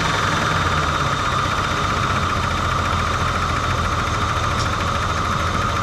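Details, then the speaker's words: 1987 Ford Bronco II, manual, first start after fuel system work: a brief rod-knock-like sound, then a steady, even, whisper-quiet idle with no smoke, misses or hunting. Head gasket issues are suspected. The engine idles normally. "i mean i'm sure the head gasket gets blown that's got all sorts of other issues but whisper quiet no smoke"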